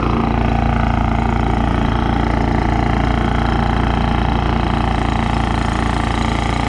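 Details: Honda EU3000is inverter generator, pull-started, after carburetor cleaning (previously ran only on choke): smooth, evenly paced idle with regular low beat, no stumbling or surging, responding to eco throttle; normal idle.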